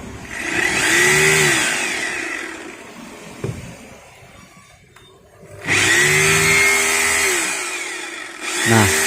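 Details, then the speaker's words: Maktec MT870 rotary hammer after repair for not hammer-drilling, running free: harsh, rattling buzz showing the hammer action now works, whereas before it sounded smooth with no vibration. "kasar rusak yah tapi ini kasar menandakan bahwa Hammer nya itu udah berjalan"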